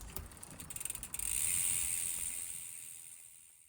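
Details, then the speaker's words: SRAM GX AXS rear derailleur after a cheap fix for clunky shifting, with the app adjustment set at 28: quick ratchet ticking then a soft whir, clean shifting across the cassette with no clunk. "And what that results in is absolutely perfect shifting all the way through the cassette, just as if the axis rear derailer was brand new."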